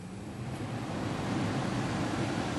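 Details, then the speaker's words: 2007 Mercedes ML350 blower motor tested after repair, key on, fan speed raised to maximum: smooth airy rush building steadily with no rattle or squeal; blower works properly. "from here this works properly so that's the maximum and that's it"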